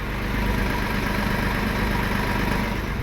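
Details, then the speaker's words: Porsche 986 Boxster flat-six idling after engine removal, IMS bearing replacement and other repairs, with no engine light. It gives a smooth, even hum with no misses, knocks or rattles and runs healthy. "no engine light there's no engine light here blob pretty much everything's working properly everything was clean intake manifold was clean pretty much everything was done properly on this car"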